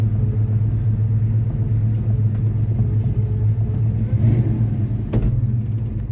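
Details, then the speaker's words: Formerly seized Chevy 327 V8 (two stuck cylinders freed, new rings) idling in the car with the choke knocked off, just over 30 psi oil pressure: deep, steady rumble, even firing, no knocks, ticks or hunting; healthy. "Look at that. Just over 30 psi at idle. It's pretty good."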